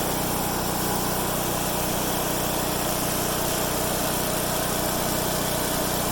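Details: MTD-built Craftsman/Troy-Bilt chipper with newly replaced blades on a test run; loud, steady small-engine drone at an even pace with no misses, knocks or surging, running normally.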